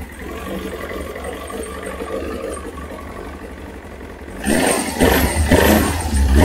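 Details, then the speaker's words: Kawasaki ZX9R four-cylinder after carb clean and spark plugs, on choke: smooth idle then several crisp throttle blips picking up cleanly; before, revving cold made it cough and splutter, now responsive and healthy. "and well that definitely sounds a lot more responsive um before when it was cold if you tried to rev it up it would cough and splutter and really didn't like it but that was good"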